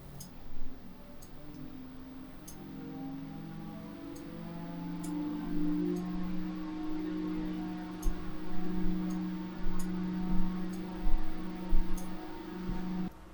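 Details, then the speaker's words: Corsair RS120 ARGB PWM case fan in a Frame 4000D RS ARGB case at 75% duty, rpm fluctuating between 1530 and 1630; steady smooth whir with slightly wavering hum, no rubbing or rattle, healthy. "So there we have 75%, and we're in about, well, it's fluctuating quite a lot there. So between 1530 up to 1630, there is a little bit of strangeness going on there in terms of the RPM values."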